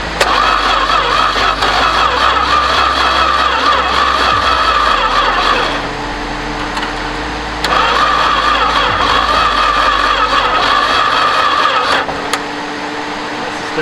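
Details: 1973 Duster slant six, sitting unrun for 21 years, after plug wires reseated and vacuum leaks fixed: two long bursts of steady starter whirring, with the engine turning over but never firing. Cranks, no start.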